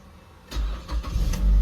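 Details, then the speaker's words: Car with about 1082 km and an intermittent no-start (clicks only, possibly after sitting parked long): this time it starts on one key turn, with a few quick cranking pulses before it fires and settles into a steady, deep idle. The TCS light stays lit. "gumana na one click na patayin ulit natin y Tapos start ulit several times na daw ito nangyari"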